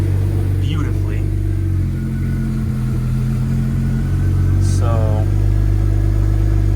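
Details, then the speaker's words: BMW N54 after replacing the MSD81 DME, which caused random cylinder 4 misfires despite new plugs and coils: steady, even low idle hum with no stumbles or dropouts. Misfire gone. "So, all of these time outs, time outs, and whatever this can is, um, but the car runs a whole lot better. But, I no longer have the misfire."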